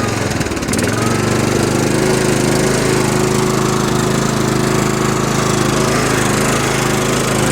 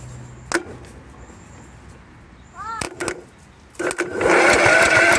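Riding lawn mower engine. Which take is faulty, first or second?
second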